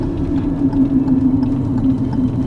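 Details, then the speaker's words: 2018 Hyundai Tucson 2.0 with a customer shaking complaint, oil now topped up, on a road test heading for the freeway on-ramp: smooth, steady hum holding one pitch under load with no ticking or knocking; sounds normal. "this one put this window up here this one is uh sounding pretty normal"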